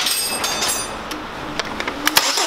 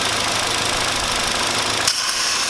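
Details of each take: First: Hyundai YF Sonata after replacing a leaking intake manifold gasket: brief crank, steady even idle with no shaking and no intake sucking sound, engine quiet; water poured on manifold shows no leak; normal start and idle. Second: Hyundai YF Sonata shaking at idle on start: hissing, slurping noise over rough idle as tap water poured on cylinder 4 area is sucked into a leaking intake manifold gasket, confirming a vacuum leak.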